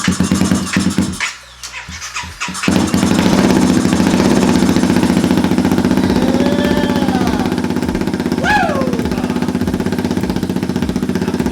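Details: Honda Grom with swapped CBR250 engine, starting after fuel pump replaced and primed; cranks, catches after a couple of seconds and settles into an even, steady idle; normal start and idle.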